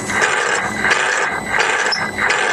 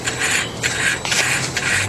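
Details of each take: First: Truck VG turbo actuator driven by a homemade test controller: whirring sweeps about every 0.7 seconds, hanging up around 50–60% then jumping; sticking vanes, likely cause of surges. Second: Variable-geometry turbo actuator, on a turbo with about 560,000 miles, driven by a homemade test controller box drawing about 1–2 amps: short bursts of light, smooth, even whirring as the vanes sweep back and forth with no binding. The actuator moves normally.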